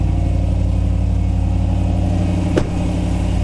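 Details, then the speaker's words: Jeep SRT8 Grand Cherokee, cold start after a Magnaflow muffler install with the clamp sealing the exhaust gap; a deep, steady V8 burble with one quick throttle blip, clean with no rattles or leaks. "all right that sounds good sounds excellent"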